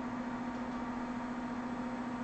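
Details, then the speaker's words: HE3D K280 3D printer stepper moving the axis down 1 mm at a time, belts not yet tightened, switches replaced: steady loud mid-pitched drone near two hundred cycles, no skipping or grinding; stepper running normally. "I think you can probably hear it too, the motor running."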